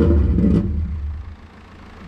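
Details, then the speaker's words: Subaru Impreza that had been sitting and started then would not restart, fuel gauge very low (owner suspects low fuel): heavy uneven rumble sagging and dying within a second or two, barely running on a severe misfire and stalling. "a very bad misfire he's got a very bad news fire yeah it sounds like he's got a very bad misfire"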